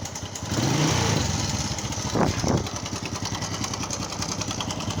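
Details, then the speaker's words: Customer's small single-cylinder motorcycle brought in for engine noise; engine oil checked and found very low. At idle a fast, loose clattering tick rides over the exhaust beat: timing chain, valves and rockers rattling from lack of oil. "อ่าเพื่อนๆจะได้ยินเสียงโซ่ราวลิ้นนะครับเสียงโซ่ราวลิ้นเสียงวาวเสียงก้านเสียงอะไรต่างๆอยู่ในห้องเครื่องนะครับเพราะว่าดูแล้วไม่มีน้ำมันเครื่องเข้าไปหล่อเลี้ยงเครื่องยนต์นะครับ"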